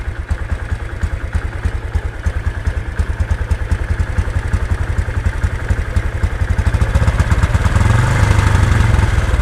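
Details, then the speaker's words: Honda Supra X 125 with manual clutch and full stock clutch springs, first start, cold idle: quick, even putting beat with no knocks or misses, then a light rev blip; normal cold idle, expected to sound rougher when hot. "Iya Lur suara untuk eh stasioner ketika pertama kali hidup"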